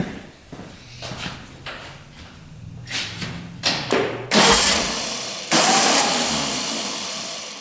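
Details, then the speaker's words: 1967 Volkswagen dune buggy, air-cooled, previously non-running, after spark check; several uneven cranking bursts, then it catches and settles into a steady idle; ignition delivering spark; normal start. "Oh, just fired up. You hear that? So obviously I think it was sparking."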